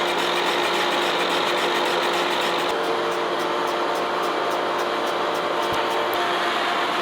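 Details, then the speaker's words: Boring the worn, out-of-round cylinder of a 1917 A.D. Baker steam traction engine on a Lucas horizontal boring mill with a Chandler Duplex boring head: steady hum with a sharp recurring tick as the tool catches the bore in two spots during an interrupted cut. "now if you listen you can hear it hitting in two spots so it's definitely cutting a little more"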